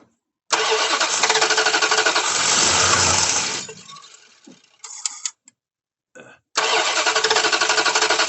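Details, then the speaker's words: The 88 cranking while owners look for fuel spray; the starter churns steadily, about three turns a second, but the engine never catches; no gas is seen coming out, so no fuel is delivered. "any gas coming out no see gas coming out the other one nope so where are we getting gas from dude this thing's cranking"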